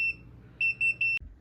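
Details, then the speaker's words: A wood boiler's low-temperature alarm: one high-pitched beep, then a quick run of about five more. The fire went out because of a stuck damper; it relit and reheated once the damper was freed and opened. The alarm also notifies through the app. "to let us know that we need to fix it. So not only do you get the alarm in the house, but if you're out of the house on the digital app, it'll also notify you on that as well."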